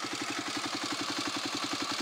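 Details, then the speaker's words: Engine at idle with a fast, even clicking about eleven times a second over the engine note. Worn cam chain tensioner lets the chain slap; it sounds more like clicking than rattling and is judged bad but not dangerous. "in real life it does sound more like a clicking than a rattling that you can hear the pain clicking so I take my tensioner shop again"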